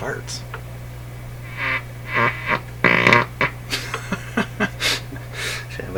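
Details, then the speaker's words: 1941 Electrohome Serenader 9A62-S two-band radio, first power-up test on cracked cord: steady low hum broken by irregular raspy pops every half second, like oscillation; owner suspects a bad or dirty capacitor, cause unconfirmed. "Oh what's happening there that doesn't sound like something being received sounds like an oscillation going maybe a bat dirt dirty capacitor or something that'd be my guess"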